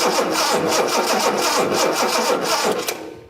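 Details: 1976 Datsun 280Z, fuel-injected, cranked while checking coil power (8-9 volts while cranking) with a spark tester fitted. The starter turns it over in quick, even beats for about three seconds and it never catches: cranks but no start.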